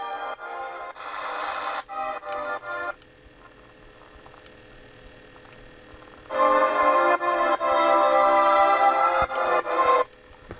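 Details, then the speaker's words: Recapped PRO80 radio with FM about 100 kHz off frequency at the low end: on 88-150 Radio 2, clean organ-like music with steady tone and no hiss, crackle or drift, so FM reception at this end of the scale is fine. "So 88-150 is radio 2. Can you hear that?"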